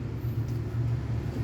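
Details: Ford engine at idle, lumpy low rumble with an uneven pulse that sounds like a misfire; spark plugs were changed first, but the cause was a vacuum leak at the intake gasket.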